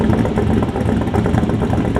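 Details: LS V8-swapped BMW E46: uneven, lumpy idle with a loose clattery beat that never settles; still running rough despite repeated checks, source of the miss not pinned down.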